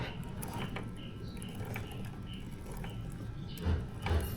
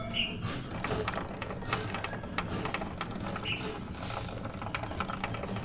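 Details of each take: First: Suzuki GSX-S150 motorcycle chain and sprocket after first cleaning pass (not yet rinsed) during periodic maintenance; quiet chain run with only a faint occasional tick, the clicking noise from the chain/sprocket nearly gone; normal chain drive. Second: Suzuki GSX-S150 motorcycle, about 1,500 km over 4 months since the last oil change: a dry, repeated clicking from the chain and sprocket keeps pace with the turning chain. Named causes are an over-tight chain or dirt, and here it is mud and grime on the front sprocket.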